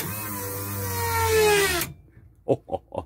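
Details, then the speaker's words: 1998 Toyota Camry no-start: newly installed fuel pump with cleaned tank and fresh fuel with octane booster, first run is a loud whirring whine with sliding tone for about two seconds, then cuts off with clunks; small fuel leak found. "our gas is all put in with our octane booster and our pump is running and this first time i ran and she loud"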